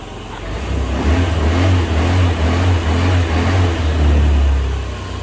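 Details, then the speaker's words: 2004 Honda Metropolitan scooter, sat four years, after carburetor clean: revs climb and hold cleanly with a strong low drone, no bogging; before cleaning it wouldn't even rev; normal revving. "before it wouldn't even wrap so I think the carb did do something"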